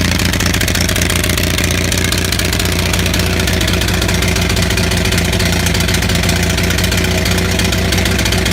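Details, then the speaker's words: Onan 6500 (6.5 kW) gasoline commercial generator, missing its muffler: rough uneven running with irregular pops and backfire breaking the steady beat, shaking badly; spark present, misfire traced to severely fouled spark plugs. "Okay, so if you just saw the video of this running like shit, I don't know if the backfire was coming out in the video."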